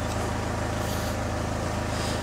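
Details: Citroen Xsara Picasso diesel with over 512,000 miles, just started, idling at 700 rpm per diagnostics, fuel pressure 298 bar; even diesel clatter, regular unchanging pulses, healthy normal idle.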